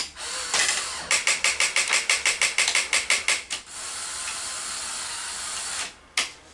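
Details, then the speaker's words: Sony SL-HF900 Betamax VCR loading a cassette: fast, uneven ratcheting clicks about three a second while loading gears drive, then a steady whir; suspected mechanical timing problem in the cassette housing. "there's something wrong um immediately it wants to put the cassette in that is telling me that there's a mechanical timing issue in the cassette housing"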